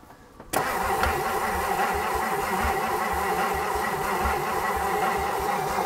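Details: Abandoned 1959 Edsel Corsair Ford V8, parked 40+ years, after new points: starter cranks steadily at about three to four turns a second but engine never catches; spark suspected weak, plug found less wet than it should be despite fuel poured in intake, intake passages possibly blocked.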